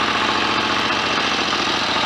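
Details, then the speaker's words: 1930 Royal Enfield 1000cc Model K after crank and main bearing rebuild, kickstarted, now fully functional with lights: steady even running note, no knocks or misses, over hissy background; a faster kickstart swipe would speed the engine up; normal idle. "oh that's all working nicely what a beautiful old engine listen to that a better fast swipe with a kickstart would speed that engine up"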